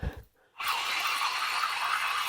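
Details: 2004 Jeep Liberty with grinding drone at idle that varied with RPM; with the belt removed, the A/C compressor pulley spins freely with a rough, gritty whirring grind from a badly worn bearing, still bad after lubricant; bearing replaced.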